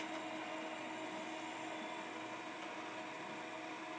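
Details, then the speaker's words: 386 motherboard in an IBM XT case, large hard drive after swapping the 130 W power supply for 200 W: steady even whir with faint whine and light seek ticks; the drive now spins up normally. "We got a 200 watt power supply in here now, and now the hard drive boots exactly as it should."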